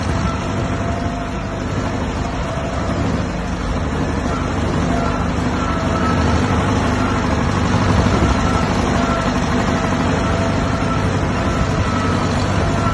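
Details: 1959 Massey Ferguson 85 started for the first time in 5 years after new points, a cleaned carburetor and a new solenoid: steady, slightly uneven idle with a constant low chug; starts and keeps running, normal idle.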